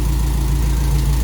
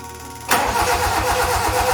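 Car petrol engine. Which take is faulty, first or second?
second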